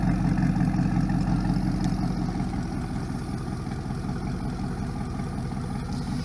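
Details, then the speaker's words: 1999 Pontiac Trans Am LS1 automatic, after fuel pump and filter replacement: fires with a loud deep burble then settles to an even steady low idle, no misses or knocks; normal start and idle. "it sounds good it's super fun to drive I hate to see it go but it's time"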